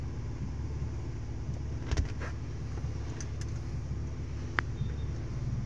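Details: Toyota Vios after ECT (coolant temperature) sensor replacement: low, even idle rumble with no misses or surging, only light handling clicks nearby; the faulty sensor had falsely signalled a cold engine, making rpm rise on its own to about 2000.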